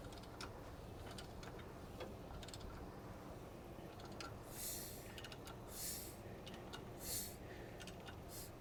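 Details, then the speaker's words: 1973 Mercury Cougar 351 Cleveland being turned by hand with the number one spark plug barely threaded in: three short hissy puffs as compression pushes past the plug, confirming the compression stroke while setting timing. "there you can hear it pushing out and pull this back out"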